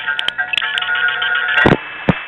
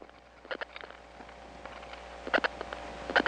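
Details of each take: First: 1976-1981 recording of one of the 107 register senders in the Gateway tandem office from New York City to New Jersey: steady paired signalling tones heard together with sharp relay clangs and clicks; normal operation. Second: 1979 Atlanta step-by-step phone line after dialing two digits: bursts of sharp clicks at about ten per second in varying groups, growing louder; other subscribers' strong dial pulses leaking between trunks.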